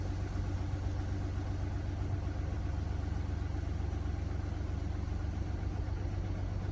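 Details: Mini Cooper D three-cylinder diesel idling with an uneven low rumbling rattle, two to three pulses a second, steady throughout: worn dual mass flywheel, which holds the clutch springs, causing juddering.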